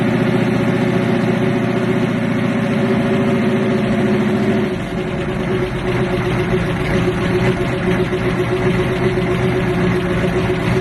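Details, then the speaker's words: Regal "Grandma Nana" just after a cold start, chokeless carburetor, air cleaner off: idle runs uneven and lumpy, settling partway through; rough cold idle, carburetor needs tuning. "I ain't finna lie to you. She rough, man. With that tokeless. That carburetor with no choke horn. It needs some tuning too."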